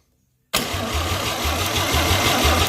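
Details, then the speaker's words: 261 straight six engine on first start attempts: steady starter cranking with even compression pulses for about two seconds, never catches; spark confirmed good, carburetor suspected; crank, no start. "spark yep okay it's not a problem with spark then what's the problem then wonder if our carburetor is bad"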